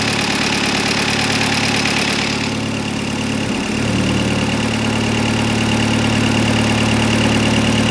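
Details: Audi TTS EA113 big-turbo race engine, first start of the freshly built engine, air filter loosely fitted, vacuum lines not yet connected: about three seconds cranking, catches cleanly into a steady even idle; normal start and idle.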